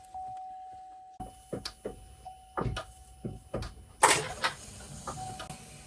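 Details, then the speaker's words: 2024 Buick Enclave Avenir after an engine reinstall, key on: scattered sharp clicks and relay chatter, no cranking, dash flashing. No-crank from a low battery measured at 11.74 V. "Okay, just clicks. Nothing yet. Just that clicking."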